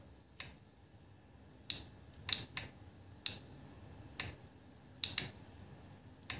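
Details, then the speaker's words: Automotive relay bench-tested on a power supply switching a lamp, negative wire on pin 85: sharp crisp single clicks at irregular intervals as the contacts switch cleanly; relay working normally. "ini ada bunyi bunyi dari relay kontak relay jadi teman-teman bisa Dengerin nih"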